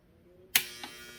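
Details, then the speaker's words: Sink garbage disposal, probably about 10 years old, removed and cleaned, plugged into a power strip: switch click then steady electric buzz, motor not spinning, reset button pressed without effect; motor hums but does not spin (stalled), disposal presumed bad. "Okay, so you can hear that buzzing, right? Okay, so that's a good sign that there is power. Okay, so I'm gonna press the reset button here a couple times. Okay, doesn't seem like it's working, so looks like we have a bad disposal."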